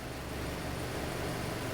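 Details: Hyundai Elantra petrol engine idling smoothly after a P0267/cylinder 3 misfire was traced to a disconnected connector and the codes were cleared, with normal fuel trim and oxygen sensor readings: a steady hum with no stumble.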